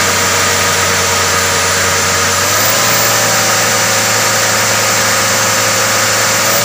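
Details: Mitsubishi Canter 125 diesel truck that was hard to start, idling after the injection pump was bled and its timing set: steady, even idle under a loud hiss, with no misses or stumbles. Earlier it would hardly start; now it runs.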